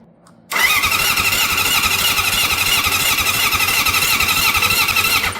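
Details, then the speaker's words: Honda CB750 cafe racer after a full engine rebuild, starter wired through a Motogadget M-Unit, carburetors leaking: five seconds of steady starter whirring with no firing. Cranks but won't start; no spark suspected. "Yeah, well, there's our leaky carbs again, so Chris definitely needs to sort that out. And didn't sound like a spark either, did it?"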